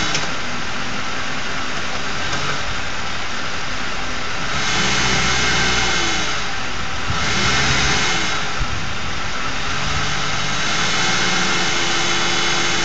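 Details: Ford 4.6 V8 at steady idle with a raspy buzz that swells and fades every few seconds, from a failed anti-drainback valve in a Prime Guard oil filter; a second replacement filter gave the same noise.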